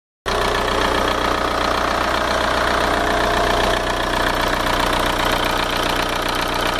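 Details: Skoda Octavia TDI diesel idling: loose, uneven light ticking, about two to three per second, mixed into the clatter; owner suspects it comes from the N75 valve behind the engine, not confirmed.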